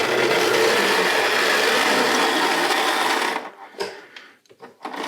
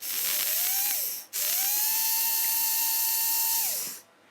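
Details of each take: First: Tri-ang Hornby model railway locomotive powered up on the bench, not yet on track: harsh buzzing growl under power, cutting out and back in; rough motor noise, possibly amplified by the bench. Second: Tri-ang Hornby model railway motor, dry rear bearing oiled: smooth high-pitched whine spins up, holds steady even pitch, winds down without rattles; motor runs well.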